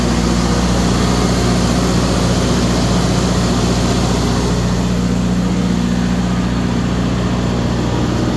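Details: Kohler 100 generator after overcrank/ignition fix (swapped sensor wires corrected, roughly 4-year-old battery just replaced): steady low throb with an even beat, no misses or stumbles; starts and runs smoothly, holding its speed.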